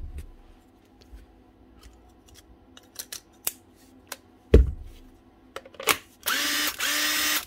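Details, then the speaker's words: 10-year-old Makita DTD146 impact driver after a new armature and set of brushes spins up with a steady, even whir after handling clicks; smooth and healthy, like a new machine. "much better it's like a new machine one new Armature one set of brushes and a 10 year old Makita DTD 146"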